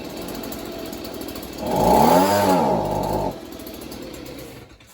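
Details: Stihl leaf blower from a neighbour, after primer-bulb squeezes: the small two-stroke sputters, surges briefly, then sags and dies. It runs only with the choke on and dies when the choke is opened.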